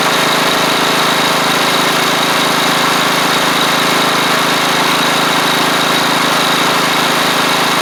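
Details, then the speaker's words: Troy-Bilt Pony rider with replacement engine and new head gasket, idling; steady, even hum with no knocks, misses or hunting; drive belts working fine; normal idle. "The belts even work pretty good for the drive and so I may not even might not even do anything with them since this is just going to be a cheap little rider. Yeah, sounds good."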